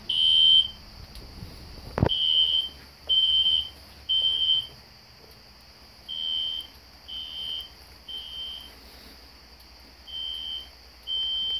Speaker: I have the classic Spectre alert horn strobe set on low volume so it's not too loud you can hear it in the background